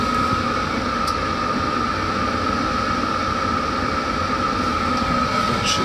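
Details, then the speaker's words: 5 kW diesel air heater in a 28 ft motorhome, turned up from setting 4 to the highest 5.5: steady, even blower whoosh with a constant high tone, no knocks or surging, quiet enough to talk over, normal running at highest setting. "it's it's not so loud that it's unbearable even at the highest setting"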